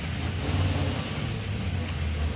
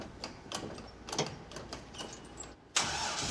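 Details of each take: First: '56 Chevy field car, V8 with new engine, ignition timing advanced from too-retarded: starts and runs with deep, steady burble, even firing, no ticks or knocks; healthy. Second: '56 Chevy field car V8, first fire after a new roller camshaft install: a few cranking turns, then it catches into a lumpy, uneven idle. Ignition timing is too retarded (24° running, about 10° initial) and will be advanced.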